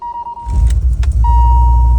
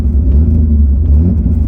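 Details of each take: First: 1986 BMW 535i E28 with the old coolant temp sensor unplugged: engine settles into a steady, even low idle on its own without throttle, though it still wants to die when given quick throttle. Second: BMW E28 inline-six driving on five of six cylinders, cold weather; deep uneven rumble with lumpy, lopsided beat, shaking the car slightly — cylinder misfire.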